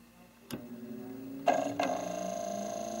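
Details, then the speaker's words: Data East DECO Cassette System arcade board on bench test showing cassette error: three sharp clicks at power-up, then only a faint steady hum; the cassette deck's tape motor does not spin. "you can hear it but nothing is spinning the motor is not spinning at all so even if that tape works the cassette deck is jacked up"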